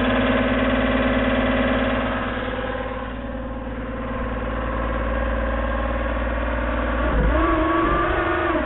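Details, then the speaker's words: 1999 Porsche Boxster 986 Tiptronic, sat about three years under a tree: steady tonal whine over idle that climbs in pitch with revs; suspected transmission noise from the automatic gearbox. "anybody know what this noise might be um working on this 99 Boxster uh with Tiptronic"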